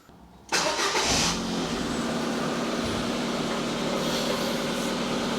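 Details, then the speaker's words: 2009 Ford Fiesta 1.2 petrol after rear exhaust silencer replacement: starter catches at once, then steady, even idle with no puffing, ticking or blowing; no exhaust leaks felt or heard, job done. "That's fine. Can't feel any leaks or hear any leaks around there. I'd say job done."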